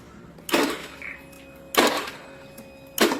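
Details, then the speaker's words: Honda Beat FI scooter: starter only clicks (cetrek-cetrek) in three click-and-buzz bursts about a second apart with no cranking, though battery is good (12.42 V, horn works, voltage not dropping); jumping at the starter relay then starts it. "Oke, Guys. Kita ada kendala bit FI starternya cetrek-cetrek ya, kayak percase motor bat carbo. Padahal aki bagus nih."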